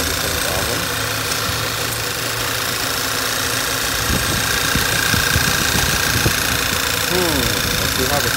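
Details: 2012 Volkswagen Tiguan with code P0507, rough idle and whistling from the PCV oil separator module; idles a little unevenly with a faint thin whistle over the hum; strong suction at the oil cap and dipstick suggests a remaining vacuum leak.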